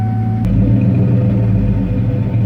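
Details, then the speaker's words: 1993 Ford F-150 first start after sitting 18 years: steady even engine hum holding at one raised pitch without dropping back, engine wanting to stay idled up really high; high idle. "All right, so it's not doing it too much right now, but the issue we're having a little bit is for some reason it's wanting to stay idled up really high."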